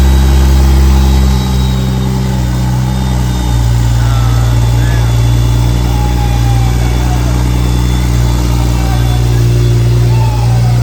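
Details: Freshly built BMW 335xi engine, first start with no coolant, run briefly: smooth idle rising and settling with throttle blips, steady tone with no ticks, knocks or stumbles; healthy.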